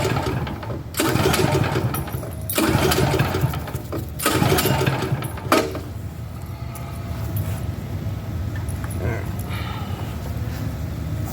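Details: Champion dual fuel generator on propane: several rough recoil pulls, short churning bursts that die away, never catches; crank-no-start, owner guesses propane had not reached the engine after fuel was switched off and on.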